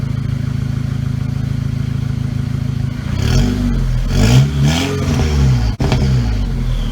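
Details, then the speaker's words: VW GTI after forged internal build, first start with new downpipe, check engine light from broken valve: even steady idle holding about 750 rpm, then throttle blips with light exhaust crackle; normal idle. "but I mean she's idling good keep right at 750 work she should be sounds good to me"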